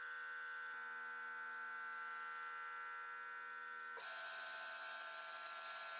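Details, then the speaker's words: Milling machine drilling holes for a belt grinder arm; steady high-pitched buzz from the rotary phase converter, not the mill, with low hum underneath, normal operation. "And in case you're wondering, that higher pitched buzz in the background when I'm running this is the rotary phase converter. That's not the milling machine making that noise."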